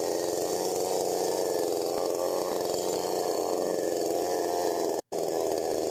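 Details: STIHL MS 192T chainsaw after primer fix, before carb adjustment: fast steady buzz instead of slow idle, chain turning; idle set too high, fixed by adjusting high, low and idle screws.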